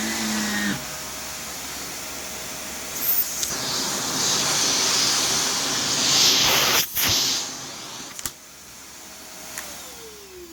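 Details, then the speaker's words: Brand-new Shark vacuum: harsh, hissy high-pitched motor roar with a thin steady whistle; motor sounds awful and unhealthy for a brand-new machine, switch feels poor, though suction is good and adjustable. "switch feels like crap then that Motors and that motor sounds awful and this thing is brand new so that's pretty pathetic"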